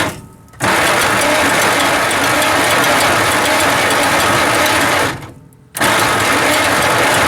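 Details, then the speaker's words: 1949 Dodge Business Coupe, first start attempt in about 20 years on an old battery: high whirring clatter with no firing, stopping and restarting; starter spins but doesn't seem to engage the flywheel teeth, starter to be pulled. Cause suspected. "well it's turning but it sure does sound bad uh starter don't s like it's engaging in the teeth right so we'll have to pull that out and take a look at it"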